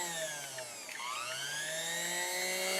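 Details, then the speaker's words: 1929 Singer 99 sewing machine, its BU7e motor just rewired with panel-mount connectors, run on its foot controller and power cord: smooth whirring spin-up to a steady, clean, even hum, so the motor runs normally after the rewire. "work it sounds good there you go kids"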